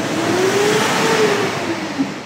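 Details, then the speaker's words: Mitsubishi Strada diesel, about 2019 model, blowing very black exhaust smoke: revving gives a loud breathy hiss and faint rising whistle, air audibly leaking and droning under throttle; cause a torn turbo boost hose. "pagka Gina gas so meron ditong s parang hangin na meron sumiso so ni- Road test na rin to halatang-halata talaga na may umuugong sa loob so kadalasan hangin"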